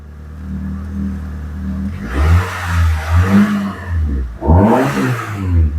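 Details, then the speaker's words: Proton Wira 4G15, previously cutting out when warm, running after the repair. A steady low idle hum, then clean throttle blips that rise and settle smoothly; the engine now starts and runs well. "Jadi kereta ini sudah berjalan dengan baik."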